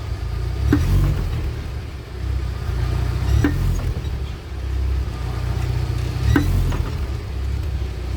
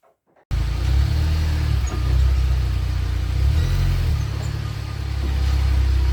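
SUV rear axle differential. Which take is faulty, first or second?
first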